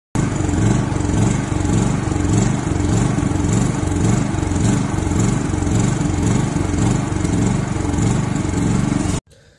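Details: Small generator engine idling unevenly, its beat lumpy and stumbling instead of a steady hum; misfire/rough idle suspected from a clogged carburetor jet, with carburetor cleaning shown as the fix.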